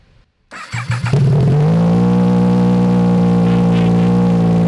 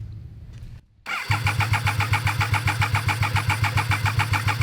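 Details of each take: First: Triumph 955cc go-kart, abandoned and possibly sat outside, now running after electrical checks; catches after a second, strong even rev holds and eases down. Normal running and revving. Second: Abandoned Triumph 955cc-engined go-kart: the starter cranks steadily with even compression pulses about four a second but it never starts; the test light fades with the compression strokes instead of pulsing cleanly on and off; cause suspected, not confirmed.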